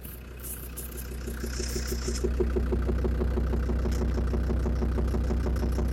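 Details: Land Rover Defender TD5 diesel idling after radiator work, mic near snorkel/intake, throttle blipped; regular knock about three per second, new and louder than before, owner suspects exhaust manifold, most likely faulty hydraulic lifters; unconfirmed engine knock.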